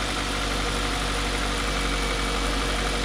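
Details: Ford Focus with about 180k, bought cheap, first start with a pigtail held by hand: catches and settles into a steady idle with a slightly loose, rough note from a broken exhaust, but keeps running evenly.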